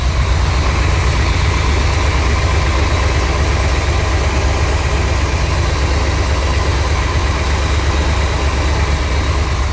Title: ￼79 l82 corvette rough running cold start cranking cadence